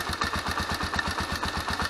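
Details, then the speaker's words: Honda CBX125 Custom single, owned about 10 years, starts easily and idles near perfectly: a dull regular rumbling knock about seven times a second underneath. The owner fears the piston and hopes it is the cam chain or tensioner, unconfirmed. "вот этот рокот конечно он меня настораживать потому что я боюсь что это проблемы будут с поршнем"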